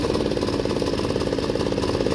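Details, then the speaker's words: Snapper commercial mower, 6 hp Subaru engine, carburetor blown clean after it would only run on starting fluid: steady even single-cylinder chug, no misses or surging; normal running. "i opened up the car blew some air through it runs like a champ so let's fire it up"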